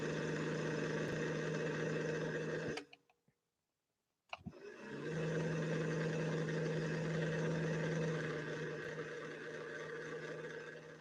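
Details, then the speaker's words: 1961 Singer 401A sewing machine, tower motor with metal worm gear, balance wheel gummed up, foot controller pressed: steady low hum with soft rhythmic churn that cuts out and restarts, never reaching full speed; motor slow and lacking power. "that's still nowhere close to full power"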